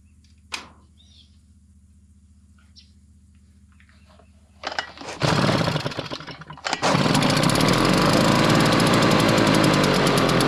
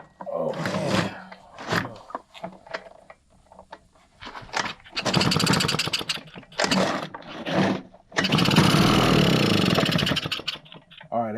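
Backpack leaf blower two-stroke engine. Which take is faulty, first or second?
second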